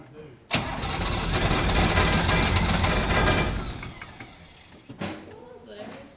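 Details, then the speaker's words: 1980 International Harvester Travelall with Nissan 33SD turbo diesel, first start after oil, fuel and air filter service: catches and roars about three seconds with a little throttle, then sags and dies; air in the fuel system, may need the bleed screw cracked and more priming. "We just got to get the air out of it. We might have to crack that bleed screw again and prime it some more."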